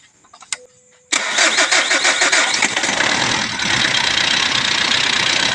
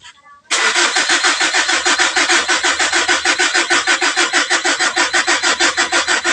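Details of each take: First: 2012 Mitsubishi Strada diesel after a DIY repair for hard starting, with a glow plug fault suspected and no check-engine light: after a second of quiet it catches at once with a few rough pulses, then settles into a steady, even run. A normal start. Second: 2012 Mitsubishi Strada diesel with a hard-start problem and no check engine light; wrong parts were bought, so it is a DIY repair. Slow, uneven cranking at about three beats a second for six seconds without catching, with a weakening battery.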